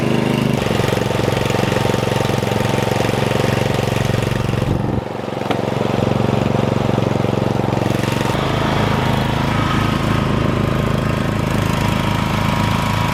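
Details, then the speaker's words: Rebuilt Troy-Bilt mower cutting grass, after new piston rings and a brand-new carburetor adjusted about half a turn. Steady, strong drone that deepens and holds firm as it bites into grass; normal running under load. "This machine cuts amazing. I'm very impressed. And it just speeds this lawn."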